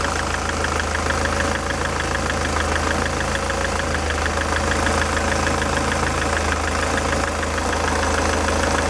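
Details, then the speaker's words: SsangYong Kyron D20DT diesel at idle after drive belt and tensioner work, shim refitted: fast fairly regular knock about three per second over the clatter, not from the tensioner area; source not yet found. "Я вот чувствую, что есть какой-то построенный стук, но уже не отсюда. Я потом продолжу диагностику этого двигателя."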